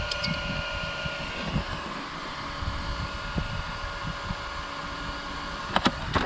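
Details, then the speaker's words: Off-road RC car after a Mojave speed run on big wood chips; a thin steady buzzing whine over a light hum from the top cooling fan fouled by wood-chip debris, with handling knocks at the end. "oh the fan let me kill this thing I can hear the buzzing from the fan"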